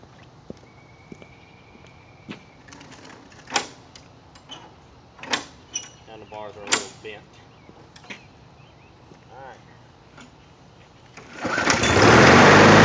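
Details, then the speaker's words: 2000s MTD-branded Husky push mower with a 4 hp Briggs & Stratton engine, stored about two years, starting cold: catches on one pull and settles straight into a loud, steady run; healthy start. "yes that was one pull but before i forget because y'all are gonna think i cheated it's actually a tad bit warm now"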